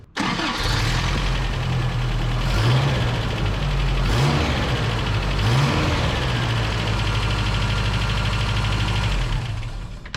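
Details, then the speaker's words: Toyota 22R engine, fast idle at startup with busy tinny chatter; owner doubts valves and agrees with suspected timing chain slap, cause unconfirmed. "Guys, that thing chatters. That sounds like two skeletons making love in a trash can. Some of y'all say that's just a 22R motor."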